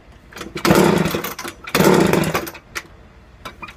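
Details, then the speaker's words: McCulloch engine's first start after a carburetor rebuild: it fires on one pull, but with the choke left on it gives two short rich bursts that bog and die within a second. "My bad. I left the choke out. I was just too excited that it fired within one pull."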